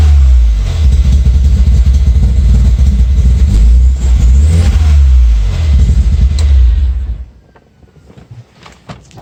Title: Rebuilt 1.8t misfires